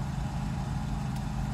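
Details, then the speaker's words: Mercedes 600SL cold start after sitting a few days, with both original and replacement mass airflow sensors installed, check engine light on and fuel very low: a smooth, even hum with no hunting or misses as RPMs stabilize. Normal idle. "so this is the cold start as you can see rpms are gone right direction everything's just fine and here we are pretty much stabilized"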